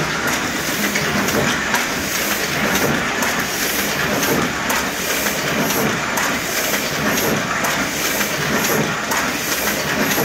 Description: this machine is missing some handles and the front cover. but it runs smooth, has safety cover and gears are in great shape